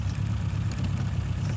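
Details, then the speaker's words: 1936 Rover 12 tourer petrol engine, first run in March after three months' winter layup: low, even warm idle with a steady soft beat, nothing knocking or ticking; oil pressure at its usual 30. Normal warm idle. "Oil pressure is up to 30 now, which is always where it roughly sits."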